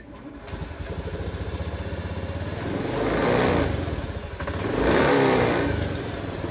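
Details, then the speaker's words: Honda Beat FI scooter single-cylinder idle swelling cleanly to higher revs and back after repair; previously stumbled (brebet) at low to high rpm without fault codes. "oke teman-teman Alhamdulillahi motornya udah normal bisa digas"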